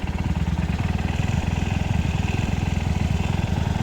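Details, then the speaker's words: Scooter at idle, fuel additive mixed in the tank: even, regular low putter with no ticks, knocks or stumbles. Smooth, healthy idle. "Yun ang mga sikreto natin mga kapatid. Kaya yung ating makina napapanatili nating smooth."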